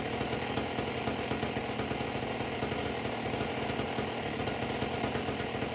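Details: A Husqvarna 268XP chainsaw with a homemade expansion pipe, revved without a bar before tuning; a raspy, burbling, high-revving buzz with an uneven, blubbery edge rather than a clean scream. It is running very rich.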